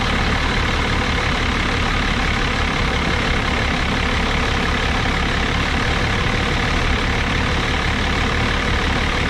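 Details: 1989 Dodge Ram D250 12-valve Cummins turbo diesel with VE pump, idling while warming up after new alternator, water pump and thermostat; not run in 15 years before the project. Steady, even clatter with a deep rumble, no knocks or misses; oil pressure about normal.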